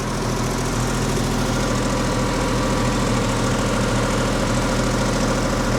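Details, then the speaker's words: RWB Porsche 911 Targa with freshly rebuilt 964 3.6L flat-six, ITBs and lightened flywheel, warm at idle after first tune: steady note with soft uneven puffing chuff; exhaust still leaking at joints after clamps were tightened. "We're just checking the exhaust, because we've actually tightened it up a little bit. But as you can hear, she's still a little fluffy. So, not very good."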